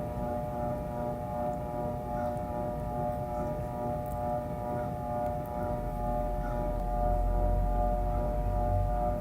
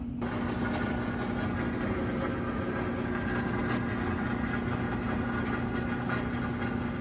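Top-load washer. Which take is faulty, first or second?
first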